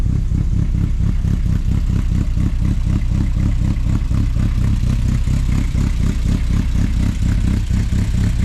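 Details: After one of the replacement fuel pumps died and was replaced again, the engine runs again (odometer still at one mile, not yet driven): a deep, choppy big-cam lope at about four pulses a second, steady and even; a healthy idle.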